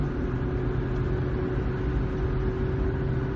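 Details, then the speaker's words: Ford vehicle with 9.75-inch rear axle, 85,000 miles, driving around 50 mph on drive side: steady low howl over road rumble; rear axle ring and pinion worn out. "so we have we're on the drive side of the opinion on their the ring and pinion it's just worn out by now our 85,000 miles it's due"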